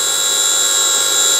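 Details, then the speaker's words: Motorised grinding spindle on a mini lathe running on its driver with no error codes, speed pot turned up, then turned down before stopping; steady high-pitched electric whine with no rattle or surging: normal running. "well it's continuing to run so turn the speed down and press stop stop works as well"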